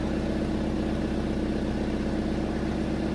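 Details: Abandoned Chevy S10 revived in a junkyard, after running a few minutes: a steady, even warm idle with a smooth low beat about four per second and no knocks or misses. Healthy.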